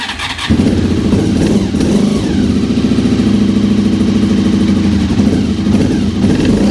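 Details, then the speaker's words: Honda RC45 RVF750 V4 after about 10 years of storage, cold start. It catches and runs rough and lumpy with an uneven beat and exhaust spitting and popping, running on 2 of 4 cylinders. Unburned fuel is suspected, spark plugs to be checked. "as you can hear she's not that happy so she spits and puffs in the exhaust I think it's a lot of unburned fuel"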